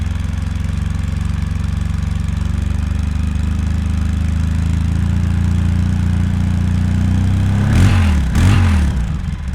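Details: 2003 Polaris Sportsman 700 Twin ATV, stock exhaust before Big Gun exhaust install, warm with no choke: deep, steady twin thump at idle, then two quick blips that rise and settle cleanly; healthy idle.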